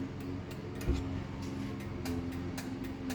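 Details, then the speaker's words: Chamberlain Whisper Drive Plus HD800D DC belt-drive garage door opener, first Chamberlain DC opener, run off a power supply without 120 V: several sharp dry clicks over faint hum as the light relay snaps in when the safety beam is broken; lights stay off, relay working normally. "still works you can still hear that clicking uh it just doesn't actually turn the lights on since the lights obviously will need 120 volts"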